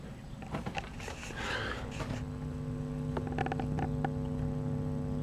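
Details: 2C34 20 W class AB2 push-pull valve amplifier, volume full up, heard at the speakers after extensive hum-reduction work. A steady low mains buzz with higher overtones stays constant and clearly audible; the hum is unresolved. Mains hum.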